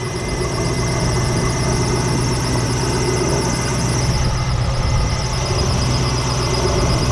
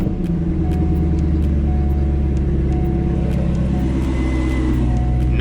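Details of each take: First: C5 Corvette on a cold, about 40°F day: a steady high squeal like a bird under the hood rides over a smooth idle; not the harmonic balancer. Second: C5 Corvette, about 40°F, run with the AC belt removed to test for a bird-chirp noise. Smooth, steady low idle with no squeal or rattle from the belts; confirms the bad AC pulley bearing as the culprit, not the harmonic balancer.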